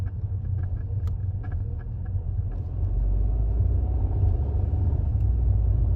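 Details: 2016 Audi TT Mk3 when cold, moving on light throttle or deceleration: low drivetrain rumble with a loose chatter from the driver's side, fading when warm; worn transmission mount; replacing the transmission and engine mounts with OEM fixed it.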